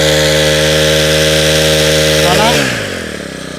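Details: Honda two-stroke grass trimmer after repair with rebored cylinder, new piston, rings, fuel lines, carburetor and tank cap, throttle held open about 10 seconds on little fuel: clean, steady high buzz, then drops smoothly when released; runs healthy.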